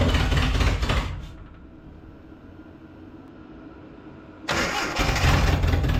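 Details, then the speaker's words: Datsun 720 King Cab 4x4 pickup, abandoned 20 years, carburetor cleaned with spray, anti-dieseling solenoid fried: revs roughly, sags nearly to a stall, then picks up. It only runs very rich; owner suspects a vacuum leak letting in too much air. "there's 600 locations for a vacuum leak and what we're doing is adding a ton of fuel and by adding a ton of fuel it runs but when we don't have a ton of fuel it doesn't"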